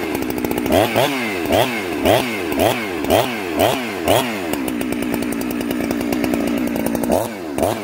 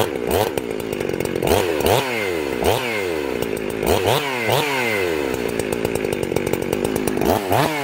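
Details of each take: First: Chainsaw, warm, in the cut: pitch warbles and burbles unevenly about twice a second, four-stroking from a rich carburetor setting during tuning. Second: Two-stroke chainsaw after carburetor tuning, high jet at one and a quarter turns out: revs up crisply and drops back cleanly with no bogging or stumble; low jet later closed slightly as idle was a little slow; normal running.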